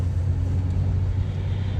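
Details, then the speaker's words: Chevrolet Impala after replacing a rear strut; driving with only low, steady road rumble, no more clunking from the rear, suspension quiet. "It's driving good. No more clunking coming from the back. It's nice and quiet."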